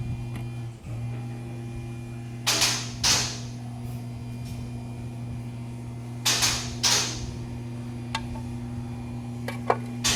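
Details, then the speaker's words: '99 Honda Civic: steady engine drone broken by irregular sharp puffs and pops, a misfire caused by a broken camshaft. "'99 Honda Civic. Broken camshaft."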